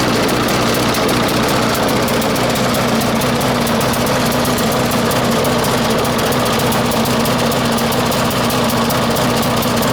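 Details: 1996 Murray 20-inch mower, 4 HP Briggs & Stratton, cold start at 3°C after 10 months sitting, bad primer bulb. It runs fast with a rough, uneven beat: running lean, not getting enough fuel. A different idle-raising spring was fitted; it may need spring adjustment.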